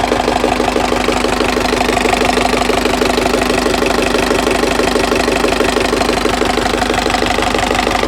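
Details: Turbo diesel engine at idle at about 60–65°C with about 2.2–2.3 kg oil pressure (4 kg when cold). A sharp, regular knock of about three per second persists, already driven 1000 km with it; cause unknown.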